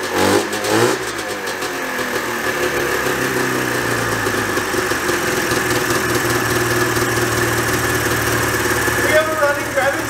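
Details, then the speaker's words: 1987 Yamaha Exciter 570 snowmobile, started on fresh gas after 13 years sitting: it catches and climbs straight to a loud, steady high-rev buzz that never drops back. Throttle cables pulled too tight hold the carb needle up, so it needs the kill switch. "so that's why i had to run it with the kill switch because it would rev out and i would have to kill it because it wanted to go a bajillion miles an hour"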